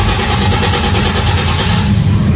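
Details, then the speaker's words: Toyota Vios Gen 3 crank-no-start: quick, strong, even cranking that never catches, showing the battery is fine; a bad fuel pump is suspected, not confirmed. "So Dito pa lang sa tunog pa lang malalaman na ninyo na malakas yung battery so tatanggalin natin sa diagnosing yung battery"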